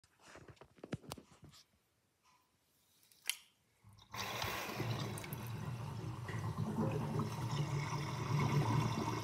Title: Interesting kitchen sinkdrain with my new sinkdrainbasket with gurgling sound (2)